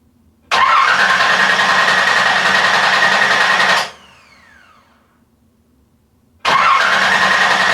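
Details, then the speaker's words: Z car with LS engine swap, first start attempt in about a year and a half: starter whirs about three seconds and winds down without catching, then cranks again; no spark because coils were wired for LS1 instead of LS2. "I spent more time last night rewiring the in harness again because it turns out I had my coils wired for an LS1 when they should have been wired for an LS2"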